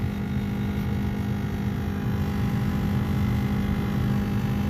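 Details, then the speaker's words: 2004 Ford Crown Victoria Police Interceptor, key on after a rough start: loud, steady, rough whirring drone with a low hum underneath; owner suspects the blower motor is going out or something is stuck in it. "yeah that doesn't sound good at all i think the blower motor is going out but"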